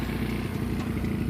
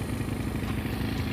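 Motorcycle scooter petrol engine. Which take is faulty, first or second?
second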